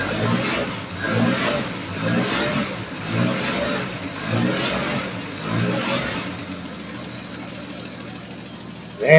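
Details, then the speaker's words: 1953 Chevrolet 3600 3/4-ton pickup just started after fuel pump replacement: uneven surging revs, then a steady even idle with no knocks or misses; sounds good, only very minimal tapping, runs normally. "that's actually sounds pretty dog on good got some very minimal uh noise from the tap it"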